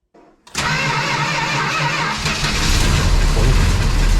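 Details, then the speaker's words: 1971 Dodge Charger R/T, 440 V8 with a finicky carburetor needing rebuild, cold start at about 9°F after four months sitting, with a slow crank: it catches roughly, sags and dies, with a slight lifter tick. "and it died not on the gas right oh it's got now little lifter tick to it too"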